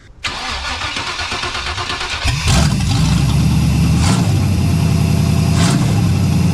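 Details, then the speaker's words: 1989 Pontiac Firebird Formula V8, first startup after header install with open headers and no exhaust attached, mic beside the car: starter whir, then loud raw crackling idle with sharp blips. "It's uh little too loud for the neighborhood. [laughter] Sounds good, though."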